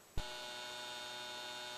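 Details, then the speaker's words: Comgrow filament dryer's stock 40x40x10 12V DC fan before replacement with a slower 24V fan: kicks on to a steady buzzy drone with fixed high whine tones; noisy loud stock fan. "this is what the fan sounds like at least on my unit it moves air around but it's a little buzzy"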